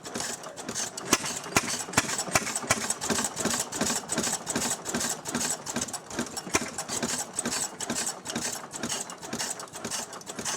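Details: Restored 6hp Fairbanks Morse Model Z single-cylinder engine on kerosene, buzzsaw hooked up: sharp regular clacks about twice a second from the spring-loaded intake flapper over a light exhaust beat; running properly, normal.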